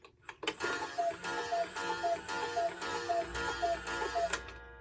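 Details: Bachmaier & Klemmer cuckoo clock, late 1950s, after repair, hung on the wall with the door now closing consistently and the bird bobbing. Eight clean two-note calls at an even pace, each with a soft mechanical click and no hesitation; normal.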